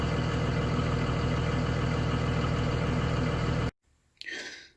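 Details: Spare diesel bus idling in neutral during regen, high exhaust temperature indicator lit: low, steady rumble with even pulse and no roughness; normal DPF regeneration, shouldn't shut down.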